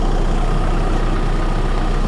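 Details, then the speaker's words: 2014 VW Crafter 2.0 TDI after snapped cambelt repair (retimed, new belt and tensioners, no engine or head replacement), just started with warning lights on and codes uncleared: steady even idle, smooth low rumble, no knocks, misses or rattles; running right. "we'll wait to clear the codes because it's obviously a bit excited, but it's running. That sounds beautiful. Sounds right, doesn't it?"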